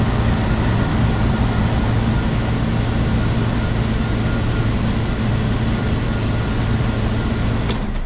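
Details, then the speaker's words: 1999 Bentley Continental R wide body, Zytec-managed engine, started from cold; smooth, deep, even fast idle, steady low hum, no knocks or misses, a healthy cold start. "so i'm going to start this bentley now and we can hear the difference in the way it all performs"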